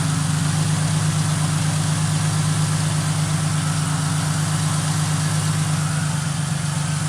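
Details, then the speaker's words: 2005 Ford Mustang with a rebuilt, retimed donor engine, first start with fresh fuel and a new fuel filter: smooth, even low idle with a steady hum and no knocks or misses, and no dash lights. Normal idle. "Looking good, though. Oh yeah. That is sweet, guys. You hit her idle right down. Perfect."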